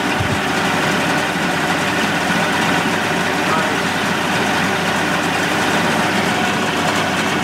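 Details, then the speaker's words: 1988 Mercury 70 hp inline three-cylinder two-stroke outboard in a test tank after carburetor work. Smooth, steady idle with an even beat and no stumbling or dropouts; firing on all three and idling nicely. Normal idle. "boy the sound of these these inline mercs i just i just love the way they sound and they even sound better out of the tank on ears"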